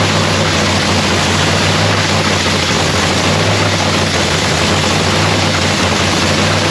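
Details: Lexus race car's first start of the season in shop paint booth; strong, even idle with steady deep throb, no misses or knocks, firing cleanly and running smoothly; sounds beautiful, normal idle.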